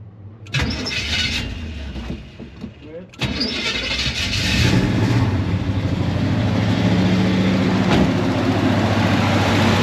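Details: 1974 Chevrolet C20 small-block V8 after sitting about 3 years, second start attempt: starter grinds a few seconds, then catches into a slightly uneven, surging idle. Owner suspects bad gas and junk in the carburetor.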